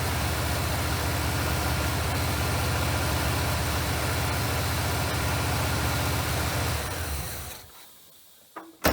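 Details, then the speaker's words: Monte Carlo engine freed up earlier, first running off the fuel tank with fuel leaks present; steady petrol idle with even quick pulse sitting a bit fast, then shuts off; high idle. "Well, other than the idle being a little high, it's running off the tank."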